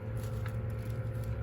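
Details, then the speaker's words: New replacement Sensory Lightahead bubble tube running: low, steady electric hum with no rattle, knock or surging; quieter humming than the old unit, a sign it is new; small air pump running normally. "and as you could hear the humming is not as loud that's how you also know this is a new one"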